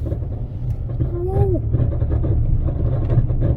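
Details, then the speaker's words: Vehicle at about 165,000 miles, driving down the street: deep, steady rumbling growl under the road noise, so bad it sounds like the rotor is hitting something; worn wheel hub bearing. "okay you hear that yeah that's like uh oh my God that's bad that sounds like the rotor is hitting something"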